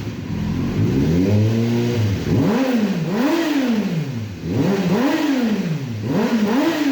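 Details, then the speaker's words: 2005 Kawasaki Ninja 636 rebuilt after years sitting, Yoshimura pipe fitted: starts cleanly, then sharp repeated throttle blips rise and fall smoothly with crisp exhaust and no knocks or misses; healthy engine. "we've got the yoshi pipe on here now and uh of course i cannot do this rebuild i've done it before without firing the bike up so i'm going to fire this bike up right now for you guys so you can hear what this thing sounds like"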